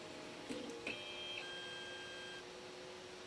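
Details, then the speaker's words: Flying Bear P902 3D printer auto-homing after the stepper driver potentiometers were adjusted to cure skipping from thermal overload. It gives faint short whirring tones with no grinding or harsh buzz; steppers running quietly and normally. "was that noisy I don't think so"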